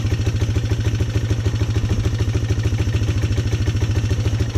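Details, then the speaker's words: Polaris Sportsman 300 single-cylinder ATV during tune-up work: quick, even low idle thump with a steady beat and no misses or knocks; running a lot better. "Let's see if it starts right up. Running a lot better too."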